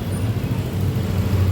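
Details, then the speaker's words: Yamaha Lexi scooter brought in for hard cold starting with no engine check light, idling after service: low, steady, even putter with no knocks or misses; throttle opening reading below two at idle is judged normal. "If the initial gas opening is like this when the standard is like this, when stationary or when idling this is normal because it is below two for the"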